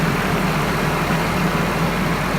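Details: Nissan KA24DE idling steady and even with a smooth hum and no knocks or misses after a starter-click no-start was fixed by replacing the ignition switch.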